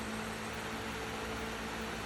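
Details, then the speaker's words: Solar-powered 65 W 12 V three-speed fan in a horse run, fed by two panels and an 18 Ah battery at 13.4 V, under cloudy sky: a steady, even hum with no wobble, ticking or surging; the fan runs very consistently. "running consistent very consistent"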